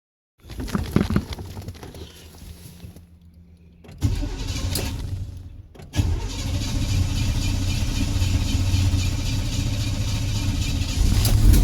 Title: Hard start with some revving